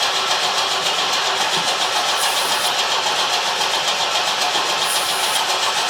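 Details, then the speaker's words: 1973 Opel 1900 (Ascona) abandoned for years, cranking at first start attempt; fast even cranking whir, never fires; no spark found, owner suspects the coil or an added resistor in the ignition wiring. "okay there is no spark okay crank it again nope no spark crank it again"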